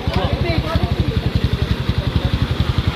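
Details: Kawasaki Barako 175 with sand in the engine, after repair of a badly scored connecting rod bearing found within 6 months of an overhaul. It now idles with an even single-cylinder thump, no rattle or knock, and the noise is gone.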